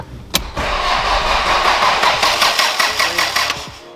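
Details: Toyota Celica GT-Four sitting 18 years with 18–20-year-old fuel, cranked over; steady, even cranking about two to three turns a second, no clicking or stalling; normal cranking.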